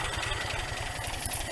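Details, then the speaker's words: 1961 GMC K1500 4x4 after sitting 15 years, with newer carburetor, coil and electronic ignition module, now warmed up with idle set low; low, even idle with steady firing pulses and no knocks or misses, sounding healthy. "Well, after it warmed up a bit, it started sounding pretty good. Wish I had a tachometer."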